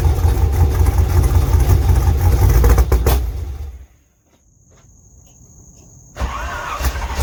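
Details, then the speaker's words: LS2 V8 in a third-gen Camaro pro-touring car, cold start after an oil change: deep, steady idle with no knock, dropping away then picking back up; the earlier knocking is gone; normal cold start. "do sounds good [Music] that knocking is gone"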